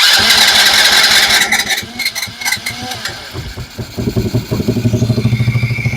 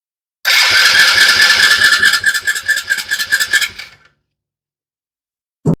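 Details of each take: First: Small Chinese kids' ATV that the owner said would not run. Some rattling and clatter, then it catches and settles into an even, steady beat with no misfire. It now runs normally. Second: Small Chinese kids' ATV the owner says won't run and only fires briefly on starting fluid. The starter cranks in an uneven chug for about 3.5 seconds but never catches. The mechanic suspects a dirty carburetor that needs cleaning.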